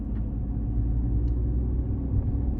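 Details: Audi A4 at road speed; deep steady rotational roaring howl with no knocks; worn wheel bearing roar.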